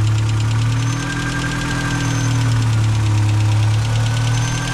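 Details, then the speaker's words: VW Mk2 Jetta restarted after sitting, on possibly bad gas, taking about ten tries to start: steady idle with a fast light tick about four times a second. Valvetrain tick, expected to quiet down as it runs. "so the tick will quiet down and let it run 10 or so minutes make sure there's no leaps"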